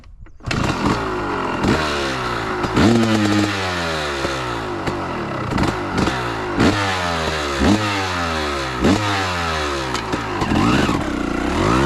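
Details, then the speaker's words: 2003 Honda CR250R two-stroke dirt bike, low on fuel, on a test ride: revs climb cleanly down low but flatten and fall back before the top. Top-end bog; owner suspects a misadjusted electronically controlled power valve or the engine being loaded up. "All right, so that was actually a pretty good test ride other than it bogging on the top end."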